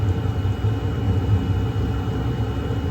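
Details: Chinese diesel heater (waste-oil experiments, inlet partly taped) restarted after possible carbon build-up, holding a stable 208: steady low roar with even flame rumble, no popping or surging; burner running normally.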